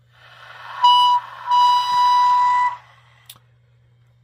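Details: Cobra 142 GTL CB base station with a steam-train-like whistle when the volume is above 3/4. A clean, steady whistle near 1 kHz in two bursts over a low hum: interference fed into the audio through poor mic plug shielding.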